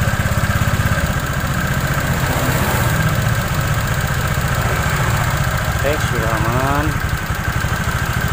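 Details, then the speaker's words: Honda Vario scooter CVT after replacing the damaged belt and rear pulley bearing and servicing the front pulley: a smooth, even idle with no clunks, squeaks or grinding. Normal CVT running after repair. "tadi mengatasi Vario bunyi kemelatak dan bunyi ceruit-ceruit serta bunyi kemerosok di bagian belakang sudah selesai dan halus Kang Bro"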